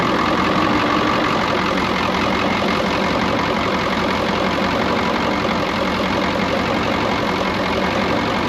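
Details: Brockway 358 truck, Cummins 555 diesel, after valve adjustment, adjusting loose injectors and tightening intake valves: steady even idle clatter, no misses or surging; settled, healthy, much better than before.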